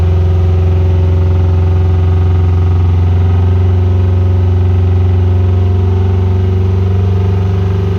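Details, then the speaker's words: 1996 Subaru WRX after 7 years sitting, with fresh oil, new oil and fuel filters, original plugs: after coaxing, a steady even exhaust drone on all four cylinders; the injectors probably still need cleaning. "okay well the answer to the question does it run well yes it does and after a bit of coaxing got it to run on four cylinders which is quite surprising actually i thought all the fuel injectors would be blocked"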